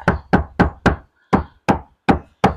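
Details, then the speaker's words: Hyundai Stargazer roof panel tapped after Vtech sound deadening installed; eight dull, short, deep knocks quickly damped with no ring, sound now denser and more solid. "ini suaranya lebih padat"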